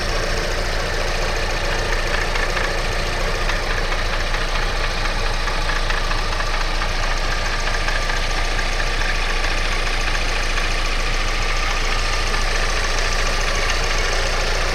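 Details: Alfa Romeo 156 2.0 JTS idling with a steady metallic rattle-knock, about two to three taps a second; owner suspects bearings, not confirmed.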